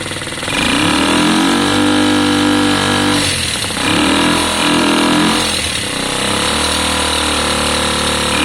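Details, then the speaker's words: Lexmoto Valiant single-cylinder motorcycle after an EFI-to-carb conversion, just started: revs climb then flatten, no top-end scream; owner suspects the main jet (about 105) and may try a 90; possible valve issues. "it doesn't sound terrible but you can hear it it's not screaming"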